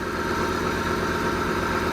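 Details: Heavy plant diesel, restarted after the leaking filter housing was removed, checked and refitted: steady, even idle with a smooth low rumble and no knocks, ticks or hunting. No longer leaking.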